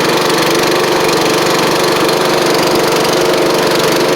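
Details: Craftsman-traded Scotts riding mower, new drive belt, safety switches bypassed: steady fast idle with light, uneven puffing tick on the exhaust note; small exhaust leak.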